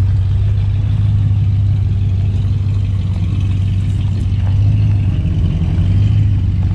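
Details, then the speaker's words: 1975 Ford LTD Landau with a 460 big-block V8, just revived after sitting in a field, dual exhaust, driven and doing burnouts: deep, strong rumble that pulls cleanly with throttle, no knocks or misses; running healthy. "good thing the windows down big old 460 has some power still"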